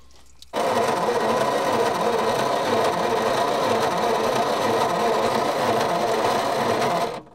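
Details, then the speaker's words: Old petrol Bedford tip truck, roughly early 60s–mid 70s, sitting 10+ years; slow buzzy cranking about three turns a second, no firing, carburetor had been flooding; owner may check the points. "It's not flooding again yet, but no go. Well, I might have to check the points."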